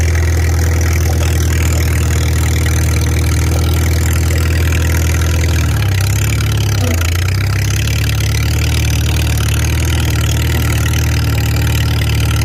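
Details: Farmall 300 Row Crop, 600-hour tractor, test drive after exhaust manifold replacement (original rusted through) and clutch adjustment, camera on chest rig; steady low even thrum, one brief speed dip around six seconds then smooth again; healthy, TA working.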